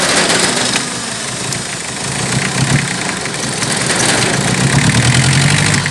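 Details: Toyota 1C diesel that starts hard, shakes and is noisy: loud, uneven clatter at about three pulses a second with surging; cause not clear.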